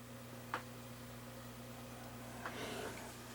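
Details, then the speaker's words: Sony MiniDisc recorder after cleaning a dust-clouded laser lens and blowing it with compressed air: a couple of soft clicks and faint whirring over a low hum as the disc loads and the table of contents reads normally. "I'm going to load my mini disc I get the welcome message table of contents reading oh I see something happening"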